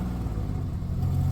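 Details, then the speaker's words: 2008 Dodge Grand Caravan SE V6 with 448,554 miles at idle: low uneven rumble intermittently stumbling from a misfire present about 6 months; new plugs and wires; owner suspects tired engine, coil pack wiring or bad coil packs; fine once warm. "And right now, it's running on six. It's kind of intermittent. See, here's the thing. The misfire isn't even there all the time."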